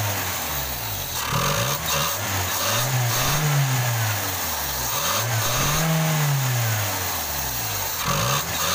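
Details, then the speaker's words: Toyota Kijang 5K/7K after replacing the dead cylinder 1 spark plug and cleaning the carburetor: engine picks up and settles cleanly through light revs, no stumble; normal running. "oke ini suaranya harus lagi udah enggak pincang lagi ya"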